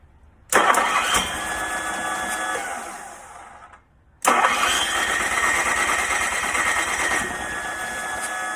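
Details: Onan 2.8K generator run standalone on a battery with fuel fed straight to the electric fuel pump and choke on: two cranking bursts, engine tries but never catches; compression 110 psi, valves opening, starting fluid tried; cranks but will not start.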